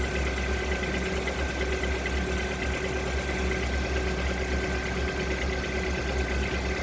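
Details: Lada Vesta engine knocking: dull uneven knock tapping through steady idle roughly twice a second; cause not yet known.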